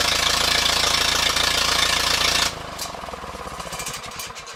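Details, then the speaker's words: Ferguson TEA 20 tractor at idle: irregular deep-toned pops puffing back through the air cleaner, heavier toward the end; owner wonders about carburettor or governor setup, cause not confirmed. "You can hear that deep-throated, deep-toned popping sound is kind of what I'm wondering about."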